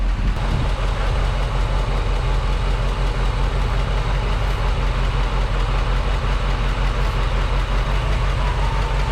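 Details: 1975 Chevrolet C20 Scottsdale 3/4-ton squarebody V8, first run in nine years, Quadrajet carburetor not yet dialed in: deep, steady burble at an even idle with no misses or knocking; normal idle. It bogged and stalled shortly afterward.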